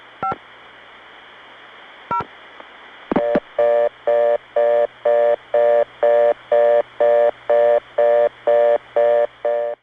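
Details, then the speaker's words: Non-standard reorder tone reached via the East 97th Street No. 4 tandem, New York City, early 1980s: clicks, then an even tone pulsing about twice a second with an off-standard pitch blend; not a Bell System reorder, yet heard in the Bell System. "Now that reorder tone, if you are used to the real sounds of the Bell System network, should not sound quite right to you."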